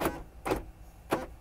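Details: Replacement door lock actuator on a 2014 Kenworth W900L: three crisp, quick clunks about half a second apart, each clean and full; the new actuator cycles properly, normal operation.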